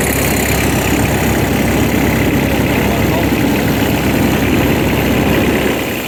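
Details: 2012 GreenMech Quad Chip wood chipper three-cylinder diesel, 1,500 hours, after bleeding air at the injectors during yearly service: steady, even clatter at constant idle, no misses or hunting; running smoothly and healthy.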